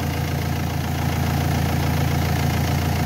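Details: Renault Espace 3 2.2L idling during an alternator test, about 14 volts measured at the alternator: smooth, even idle, steady low rumble, no ticks or whine; engine and charging system healthy.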